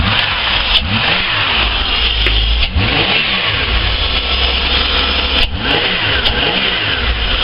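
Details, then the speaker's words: VS Commodore after spark plug change, cold start with high idle: engine revs rise and fall cleanly with even firing and no misfire; idle speed control seems slow, head gasket issue still suspected. "this runs remarkably better I still think the idle speed control Wells a bit slower than it should be"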